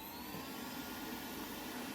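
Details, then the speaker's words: Roborock S6 robot vacuum after replacing the suction fan with an aftermarket one; soft steady airy whir with a faint mid tone, no rattle, grind or wobble, much quieter than before; normal suction fan running. "much quieter that's exactly how it's meant to be good"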